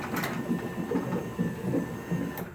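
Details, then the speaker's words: Genie 1035 (model 1035-V E2) chain garage door opener on a 4x3'6" door, closing: rhythmic creaking and clattering from the spring, still noisy after lubing; spring seems reluctant to stretch, cause not yet pinned down. "also you can hear that the spring makes the noise even after lubing it i don't know why this spring doesn't seem like it wants to stretch for some reason"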